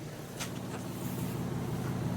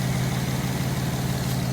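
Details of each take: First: G35 (V36), about 42°F outside: steady low idle with an even, smooth beat, no stumble; slight exhaust leak noted underneath, no check engine light; healthy idle. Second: Infiniti G35 beater at idle after plugs checked, vacuum leak fixed and codes cleared: steady low idle with a faint puffing tick from underneath; small exhaust leak heard under the car.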